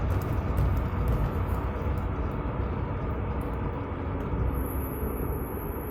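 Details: Scion FR-S while driving: steady low road rumble, then a thin high-pitched brake squeal sets in near the end and holds; cause unknown.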